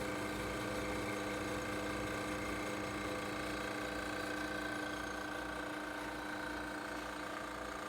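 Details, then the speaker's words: 1932 Westinghouse refrigerator running just after being plugged in and switched on: an even low hum with a steady whirring fan and no clicks or rattles. It runs smoothly and normally. "You hear it kicking on. You hear the fan spinning."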